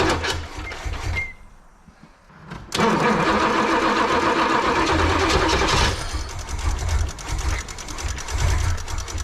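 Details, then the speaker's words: 1986 Pontiac Firebird Trans Am with fuel starvation issues, engine flooded and battery going dead: starter drags slowly and unevenly without firing; distributor may be a tooth off and choke unreliable, unconfirmed. "that's sounds really [Applause] sluggish"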